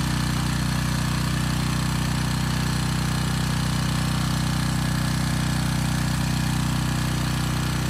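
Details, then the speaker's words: Briggs & Stratton Storm Responder generator with a replacement 10 HP Briggs engine under about 4500 W load: steady buzzing rattle over the constant drone from the loose-sounding starter assembly rattling on the engine, not the engine itself. "also the engine's making a lot of noise it's actually not the engine it's the starter assembly it's rattling kind of on the engine so the engine isn't quite as loud as it sounds"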